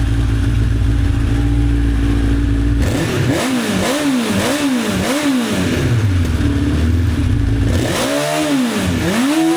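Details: 1985 Honda CB1100F four stored about 20 years, after carb clean and fresh fuel, air filter refitted: steady even idle, then clean rising and falling revs with no stumble or popping; much better with filter in.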